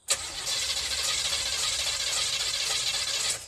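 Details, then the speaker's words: 1984 Camaro Z28 with fuel and spark that won't start: starter spins the engine steadily about three seconds with no firing; cranks but won't start, owner suspects ignition timing or spark plugs. "Motherfucker getting spark, man. It's trying."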